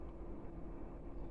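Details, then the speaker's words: Chinese diesel heater that showed error code E-3 (flagged glow plug), fixed with a borrowed motherboard, warming up: steady even low rumble, fan running with no surging or cutting out, unlike before; normal running. "in a minute you'll hear the the pumps start ticking uh but this is a good sign so far it wasn't doing anywhere where near this level it would have cut out before"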